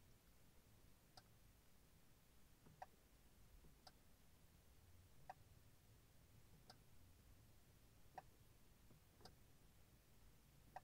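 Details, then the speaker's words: 2006 Honda FR-V 2.2 diesel with one indicator not working. Faint single relay clicks as the stalk moves, never settling into a flash rhythm. Fault is the failed G8N-1FS relay in module 38650-SJD-E01. "i believe i can hear the relay engaging so if i do very slightly you're gonna hear that really engaging but it doesn't keep on like clicking"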